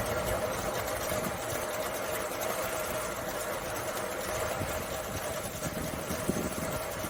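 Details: Carbureted Suzuki Samurai (SJ410/SJ413) after troubleshooting, in cooler evening air: after a couple of pedal pumps it holds a steady, even idle with a constant hum and no misses or knocks. Normal idle.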